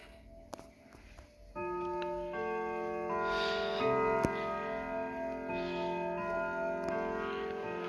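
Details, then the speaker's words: Fully repaired Sligh triple chime clock striking on the hour: clear ringing Westminster chime notes over a steady, even tick; clock running healthy. "as you can hear it sounds really well"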